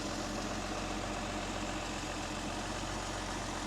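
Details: Mercedes 280 SL Pagoda, M130 inline six, points ignition, dwell about 32–34 degrees: steady even idle, smooth low rumble, no misses, ticks or hunting; engine running healthy.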